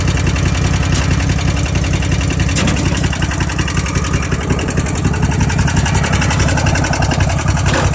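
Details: Craftsman riding mower with a 4-pole solenoid, extra wire grounded, seat safety unplugged and clutch safety in: cold start where the engine catches quickly and settles into a steady, even chug without misses or knocks; normal start and running.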